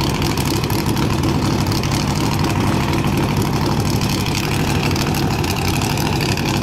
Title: CMEGO launch with misfiring